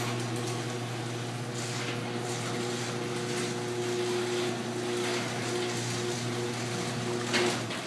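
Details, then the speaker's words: Garage door after DIY fix of sagging section with a 2x4 screwed across the panels: steady opener motor drone and light rolling rattle as the door travels smoothly, no popping or dropping. "it works flawlessly and it looks awesome"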